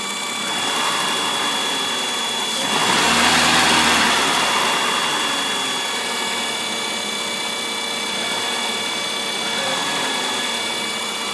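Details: 1997 Ford Escort (3rd gen), 154k miles, warm idle: loud high-pitched whine from the back of the engine, only when warm. Pitch changes with light throttle but not heavy throttle. Removing the EGR vacuum line changed nothing. Cause unknown.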